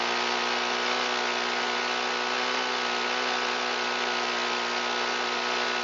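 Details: Shindaiwa EB254 Hybrid4 4-stroke handheld blower, long unused, running on fresh mixed fuel with throttle locked: steady high buzz that never climbs, won't reach full throttle; likely stiff carburetor diaphragm and pump parts, before valve adjustment and carburetor work.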